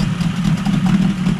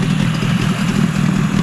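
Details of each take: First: Yamaha 20A two-stroke outboard, about 50 years old (1972–78), running cold: a smooth, steady buzz with no misses. The idle sits a little high, which the owner suspects may be because the engine is cold. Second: Yamaha 20A two-stroke outboard, about 50 years old, after a full service, in neutral: low, steady burbling idle with no misses or knocks, possibly idling a little high; healthy idle.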